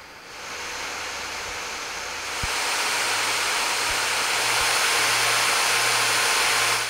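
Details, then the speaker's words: Asus Zephyrus G14 gaming laptop under high load; steady airy hiss rising in pitch and volume as small-bladed fans reach full speed, higher-pitched than larger fans, normal fan noise at full load. "the only difference is the frequency of the fan noise as the fan blades are smaller they create a higher pitched sound when spinning at full speed which may sound a bit annoying to some"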